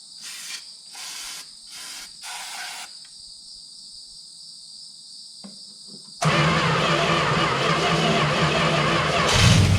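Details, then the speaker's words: 1971 Plymouth Valiant Scamp, first start after 16 years parked: quiet, then engine catches and holds steady, even run with no knocks or misses, no big leaks or heavy smoke; sounds really good. "sounds good sounds really good actually"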